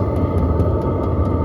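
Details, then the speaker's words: HCalory compact tool box 2 diesel heater, first-time startup on Bluetti AC180 DC power, cold day; fan blowing air but still cold, even low roar with quick steady fuel-pump ticking, tick tick; normal running. "Yep, it's blowing air, but it's still cold. But yeah, you can hear that pump. Tick, tick. But I guess you get used to that sound. It's not that bad."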